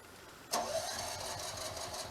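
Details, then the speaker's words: Off-grid generator on a repeat start attempt, oil, gas and battery (12.66 V) checked good: a short starter burst churns steadily at one pace, but the engine never catches or speeds up. Cranks, no start. "We'll try it again. It does not want to start. Okay. Nope."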